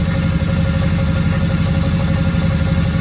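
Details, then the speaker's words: Camaro engine idling after sitting unused for a while: steady low idle with a faint ticking about three times a second and a thin tone over it; owner says it mostly sounds good but hears an unwanted noise, cause unclear. "but all in all sounds pretty good i think there's a little noise that i'm not too happy with"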